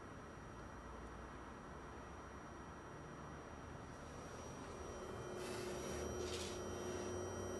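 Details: Fengmi Cinema Pro 4K projector: thin, steady high-pitched coil whine over soft fan hiss, loud enough to spoil quiet movies and videos.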